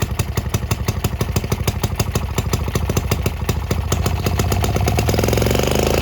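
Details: Early Villiers Marvil two-stroke engine, first start in about six years, on half choke: crisp even popping beat quickening toward end, firing cleanly with no misses; owner notes little smoke at first; normal running.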